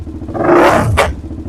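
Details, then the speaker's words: DVX400 quad with the carburetor needle moved lower for testing: a quick rev falls toward idle and a single sharp pop cracks out as the throttle closes. The mid-range runs too lean, so the needle must go the other way. "That right there, what that's doing right there is it doesn't have enough in the mid-range. It's running too lean, so the second you drop down to idle, it wasn't enough fuel in there, and that back pressure causes that pop, so we definitely need to go the other way on the needle."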